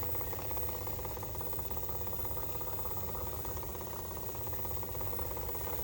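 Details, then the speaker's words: Pool pump in anti-ice trickle mode during Texas winter freeze, running very slowly with low steady hum and soft even pulsing, just enough water flow to prevent freezing; normal low-speed running. "Okay, just following up on the pool pump, making sure that it is in a trickle mode. We can hear the pump running very slowly."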